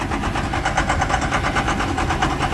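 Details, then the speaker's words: Tractor diesel at idle, knocking again after repeated on/off restarts, left idling for the mechanic; everything shaking, heavy smoke when knocking, window open, run under 1500 rpm; sharp regular knock with every firing beat, cause still undetermined. "everything's just kinda shaking a little bit. Alright, this thing really rolls the coal when it's knocking too."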